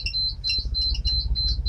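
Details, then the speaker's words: Climacab unit's low-battery warning going off at night as the battery runs almost flat: rapid, insistent high-pitched chirping beeps over a low hum, lasting about 20 minutes. "you really missed out on the beeping it's been going it really goes for about 20 minutes"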